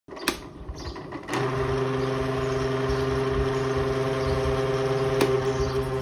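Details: Electric fan, very noisy and spinning weakly: motor starts with a loud, rough buzzing hum and fluttering rattle from worn, loose shaft bushings, before disassembly for repair; worn motor bushings.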